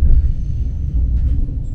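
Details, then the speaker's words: ITX-MAUM train, inside a motored car: steady deep rumble with no knocks, whine or rattles; normal traction motor running noise. "Comparați zgomotul cu celelalte mașini! [Acesta este zgomotul mașinilor cu motoare.]"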